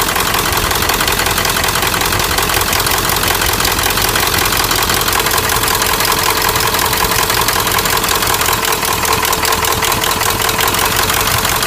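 A sharp, regular knock of about three per second rides over the diesel idle; it is loud, clattery knocking with no proven cause. Cause suspected, not confirmed.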